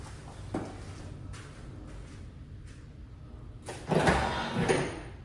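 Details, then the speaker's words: 1999 C5 Corvette pop-up headlights after replacing the worn nylon headlight motor drive gear with a brass upgrade gear: brief smooth motor whirs as the lamps lower and rise, no clattering or grinding; works properly. "Let's go up. No more rakataka."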